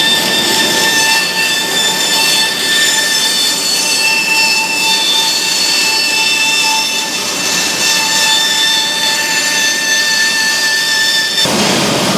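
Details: Big bandsaw running: loud steady high-pitched whine and rattle; set screws on the shaft backed out so parts moved, with an aftermarket grease fitting also suspected.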